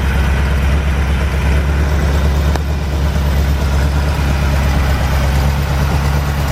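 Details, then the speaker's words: 1949 Chevrolet off the road since about 2005, first start with fresh fuel and battery: deep loud steady idle with slightly lumpy beat, heavy smoke from both exhaust pipes; rough running from storage, owner suspects oil in heads/leaking past valves. "folks, you saw that it didn't take a whole lot to get this thing, get it started. We've got a lot of smoke out of both of the exhaust pipes."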